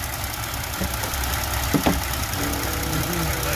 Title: Ford land gas tube making noises